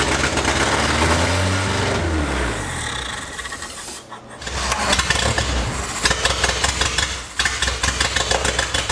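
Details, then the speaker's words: Datsun 620 truck engine, first start, open header with no exhaust, running on brake cleaner sprayed into intake: loud engine catches and revs, sags and nearly dies twice before picking up; not getting fuel despite fuel in tank. "it runs hell yeah it runs asterisk um so our problem is it's not getting fuel"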